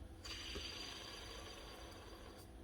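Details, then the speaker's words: Worn power-tool ball bearing rattles and whirrs gritty and uneven when spun, bad from slack even though it feels okay. "so this one is obviously gone if that was any worse I would have fallen apart this it's gone because of slack even though it feels okay"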